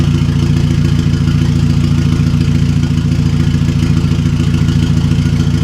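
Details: 2009 VW MKV GTI 2.0T TSI, fully straight-piped with a 3" Billy Boat downpipe and no muffler or resonator, with known unfixed misfires. Loud, deep idle with a fast, uneven metallic clatter riding on the pulses. Something is rattling; source unknown.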